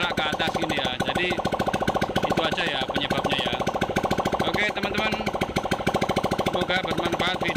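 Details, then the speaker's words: Honda Vario 125 LED scooter after repair of leaking cylinder head gasket that made radiator coolant spurt up even when cold; quick even ticking idle, no misses, radiator water now calm with engine running: normal idle. "Jadi apa itu kalau normal di sini airnya tenang kalau mesinnya hidup ya teman-teman ya. Nah, ini tandanya normal ya, Teman-teman ya."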